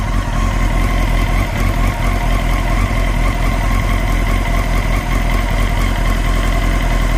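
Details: 954 motorcycle engine idling while warming up: a faint, irregular, hard-to-describe clatter under the exhaust beat that is still present with the clutch pulled in. It seems to come from the back left, behind the engine near the throttle bodies; the cause is unknown.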